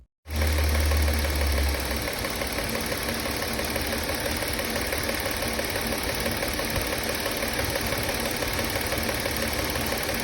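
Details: Car engine running after the drive belt that squealed and chirped was swapped for a new one. An even mechanical whir with no squeal or chirp from the belt area: the new drive belt sounds healthy.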